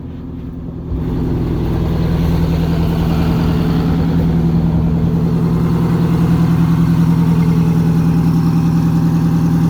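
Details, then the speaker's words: MCI MC8 bus two-stroke diesel, sat about two years, low coolant topped up, catches and settles into deep, even drone with steady beat and no misses; healthy idle, though shutoff solenoid isn't working. "thing sounds amazing we're gonna make it back to tennessee with that no problem"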